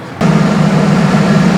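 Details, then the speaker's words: Ford Bronco after fixing header-flange exhaust leaks from ill-fitting new Walker cats: steady, even drone, quieter with no puffing; a small leak remains at the bottom clamp bolts. Normal running after repair. "guys you know what it sounds better sounds a bit quieter now I still got a little leak on that clap on the bottom where the bolts are not bad"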